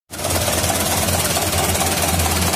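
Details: 2011 Mitsubishi Canter Super Speed diesel truck idling harsh and uneven, with a lumpy low knock under clattery top end, a 'tak' on shutdown, heavy throttle and weak power; diagnosis found a cracked injection pump timer.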